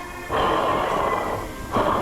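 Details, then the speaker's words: SS 815 air starter teardown: an internal bearing spun by hand gives a coarse, gritty roar in two bursts that fades as it slows. Worn bearing needing replacement. "bearing roaring on the inside. That's no good for the train to"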